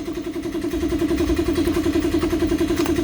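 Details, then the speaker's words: Honda Karisma motorcycle after carburetor service: single-cylinder idle with a slow, regular surge about three or four times a second. The leaking automatic fuel tap lets fuel be sucked continuously through the intake manifold port, upsetting idle and wasting fuel; the tap needs replacing. "biar posisi langsamnya itu normal dan bensin itu enggak boros"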